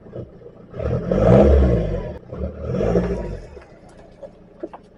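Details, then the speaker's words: 2007 Audi A3 2.0 TDI diesel after replacing intercooler turbo boost pipe (boost leak): cranks, catches, revs twice then steady low clatter, no hiss from boost side; test drive showed good boost, fixed. "right then guys so I think we can say 100% that this time we have fixed it as long as nothing else goes wrong but as far as I'm concerned we fixed it"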